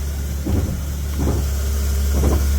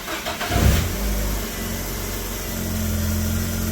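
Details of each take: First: 2010 Ford KA idling while steering is turned: three dull clunking bursts as the steering wheel turns without moving the road wheels; failing steering rack causing loss of steering while driving. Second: 2010 Ford Ka after steering rack replacement, at idle while the wheel is turned lock to lock: load rises slightly, with no clicking, grinding or knocking, so the rack sounds healthy. Before the fix it clicked, ground and lost steering.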